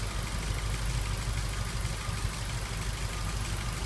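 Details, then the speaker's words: 2003 Ford Focus 1.6 petrol at idle: irregular stumble every couple of beats, dead-cylinder lope; scanner shows code P0302, misfire on cylinder 2 with 8,223 misfire count, attributed to a faulty injector. "Let's start off, we'll plug a scanner in and we'll have a look at what codes come up. You can hear the misfire there."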